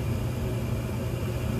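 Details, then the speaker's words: Gas furnace test run after a DIY tune-up and vacuum cleaning. The blower comes up to a steady low hum with no rattles or scraping. Normal blower run after tune-up. "okay now let's give her a test run so you can see this baby do what she's supposed to do"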